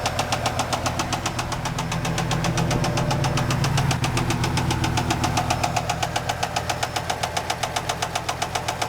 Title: 95 z28 LT1 bad rod knock